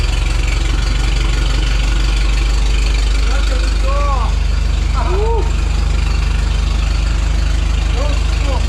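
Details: 1912 Oldsmobile Defender, about 113 years old, just started using a bit of choke and gas: loud, even low chuffing at about three and a half beats per second, steady with no misses or knocks; a normal idle.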